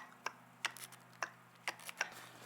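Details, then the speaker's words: VVT solenoid removed from a 2000 Volvo V70 intake manifold, bench-tested with battery leads by touching the negative: crisp, sharp clicks over a faint hum as the solenoid actuates the valve, showing a good coil (a bad unit does nothing). "and then I'm going to touch the negative, and you can hear the valve actually, the solenoid push and actuate the valve."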